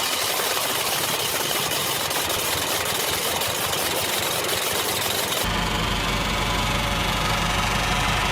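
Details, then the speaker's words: Automatic transmission: dry metallic chatter ticking about three times per second over the drivetrain hum, from a worn needle bearing inside the torque converter. This is usually caused by running the transmission low on oil or overheating it. "Otras veces se podría escuchar un ruido metálico en el interior de la transmisión, pero no es ahí el problema, sino es del convertidor par, precisamente en la parte interna el valero de agujas."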